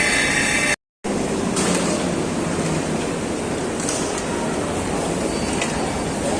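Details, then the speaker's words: Treadmill running noise: steady rough rushing drone, no clear rhythm, from belt or motor, cause unclear; later checked with incline and speed raised to 8 and 12 km/h, reported resolved. "Minha esteira tá fazendo barulho."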